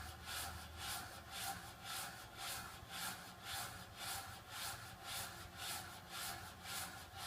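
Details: Water restrictor making a steady rasping hiss that pulses about twice a second in an even rhythm; rubbing flow noise, cause unknown.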